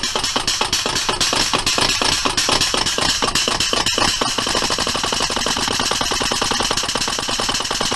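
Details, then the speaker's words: Serviced Metropolitan Vickers/GEC 1927/1955-type electro-pneumatic unit switch (motor group switch from U2), cycled on air and 120 V DC to work in grease: crisp even snaps three to four a second, speeding slightly, contact closing square with positive action; normal. "have a close look at the action of the switch make sure the contact is closing on the Square with the top nice positive action"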